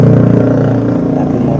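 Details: Honda Revo Absolute, rough-running and noisy at the cylinder head before repair, valve clearance spec 0.10 mm: rapid dry ticking over a rough single-cylinder idle from the head; worn, loose rocker arms.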